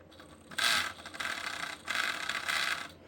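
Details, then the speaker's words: FMS Toyota FJ Cruiser RC crawler with upgraded chassis, turned over: short bursts of harsh, high ratcheting each time the motor drives, not chassis binding but thin 3D-printed drivetrain parts failing under high stress. "Okay. So, what it's doing, it's not binding on any of the chassis stuff here. I've noticed that these 3D printed parts, they're starting to fail."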